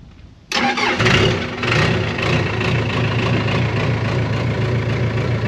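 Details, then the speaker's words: Case 550G dozer with Cummins diesel, next-day start: cranks briefly, catches at once and settles into a steady even idle; healthy cold diesel start. "All right, dozer startup time again. Next day."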